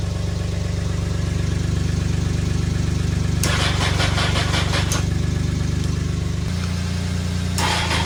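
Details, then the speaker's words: 2002 Honda CBR900RR (954) Fireblade, 22 years old, running again after sitting for months and basic cleaning: steady, even four-cylinder idle with slightly lumpy cam note and crisp exhaust, no knocks or misses; sounds healthy. "brother there you little she sounds pretty mean I like that exhaust that's on it"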